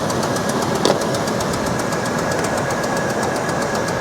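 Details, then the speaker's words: Jeep Liberty from a salvage auction, running on its own: steady idle with a fast, regular light valvetrain-type tick; engine does not sound healthy, cause not pinned down. "engine does not sound particularly healthy"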